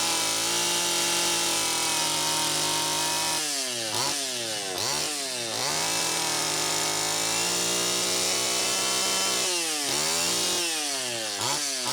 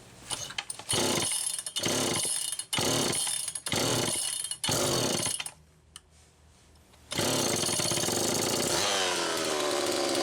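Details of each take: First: Homelite Super EZ chainsaw after repair (loose intake block/reed valve screws tightened, gaskets sealed, new crank seal): it holds a steady high idle, snaps to full revs and drops back cleanly several times. Normal running. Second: Homelite Super EZ chainsaw test run after carburettor repair, high needle reset from about four turns out to one turn: revs in screaming bursts, hangs and surges at high speed; lean, crankshaft seal suspected bad.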